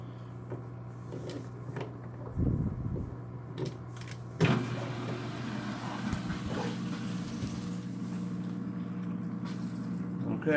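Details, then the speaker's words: Polar Aurora four-stage canister filter with UV light, new setup on 150 gallon aquarium, first start after priming: handling clunks then steady low hum with slight rattle, running a little noisy; front cover expected to reduce noise. "running a little noisy but once I put the front on here just stop some of that noise"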